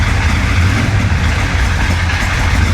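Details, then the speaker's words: 1966 Chevrolet Impala 427, hurricane flood-damaged, after starter problems: loud steady low idle rumble with rough mechanical clatter, noisy engine of unknown source; it keeps dying and won't stay running. "damn that engine is noisy oh we got lights hey look at that we got lights"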